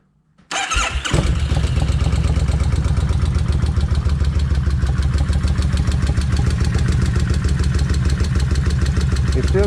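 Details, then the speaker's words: Kawasaki Vulcan 1600, day two of an engine treatment additive: starts and settles to idle with a light quick steady tick from the front cylinder rocker arm/lifter; lifter tapping persists, cause suspected. "I done cranked at one time and that front end that front Rock rocker arm where the lifter is still tapping"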